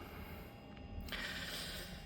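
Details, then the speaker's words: Eriba caravan trailer hub with the tire off, spun by hand: a dry, gritty rasp of ball bearings rolling without grease, after repeated drum overheating melted the grease out. "그로 인해서 제 어 안에 이제 구리스가 없다 보니 볼베어링이 굴러가는 소리가 납니다. 소리 나면 안 되거든요."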